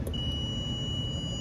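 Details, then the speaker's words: A tripped 24 V transformer feeding the economizer and thermostat gets 212 V in but gives no voltage out. A steady high-pitched continuity beep from terminal to ground shows its wiring is shorted to ground somewhere. "you hear it beeping? So that means the wiring connected to that transformer is shorted out to ground somewhere."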